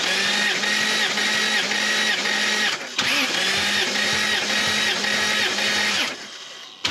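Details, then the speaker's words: Lexus GS300 2JZ-GE inline-six with slight misfire and blue smoke, compression test cranking at about four pulses a second, beats even; first cylinder 150, all six consistent, rings judged fine. "all right that's all pretty consistent across all six cylinders so i'm pretty happy about that i don't think i've got problems with rings"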